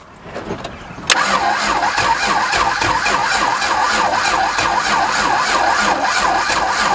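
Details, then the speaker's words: VH Valiant Ranger freshly swapped from a 215 to a 245 Hemi six. The starter cranks steadily with a wavering whine but the engine never catches. Not enough voltage is suspected at the coil, and a jump pack is added next. "I don't think it's got enough voltage to the coil at the moment"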